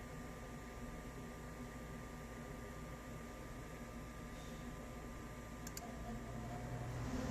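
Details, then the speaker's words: Furnace blower after replacing the motor that had been screeching: it spools up to a smooth, steady low hum with no screech or rattle. Normal blower motor run. "i fixed it listen to that baby hum"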